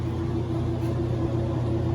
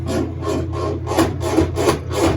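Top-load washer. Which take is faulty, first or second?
second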